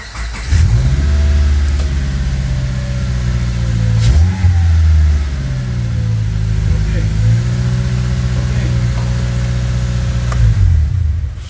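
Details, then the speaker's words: Fire-damaged auction Subaru Forester engine, fresh battery, about a quart of fuel, just started first try: engine revs cleanly up and down several times, smooth rise and fall with no knocks or misses; runs really good, healthy revving. "The motor ran. It ran really good."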